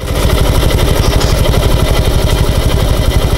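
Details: Automatic scooter after CVT service and a TPS sensor error cleared and reset with a scanner: even, steady putter about four beats a second, no knocks or rattles; healthy idle.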